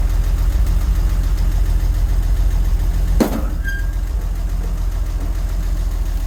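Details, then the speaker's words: 1963 Jeep Gladiator started after the key was left in the ignition: steady low idle with a faint regular tick, about three or four per second, of still undetermined source. "And evidently, she's still ticking. And something is weird with this. You hear the tick? I hear the tick."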